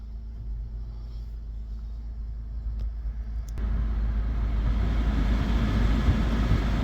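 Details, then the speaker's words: 2008 Acura MDX V6 with a newly installed alternator, tested with all lights on bright and the blower on high; a smooth, low, even rumble that deepens slightly under the load, with no whine or chirp; normal running. "Okay, now a good test for your alternator is turn on all your lights, put them on bright, and turn your blower on high."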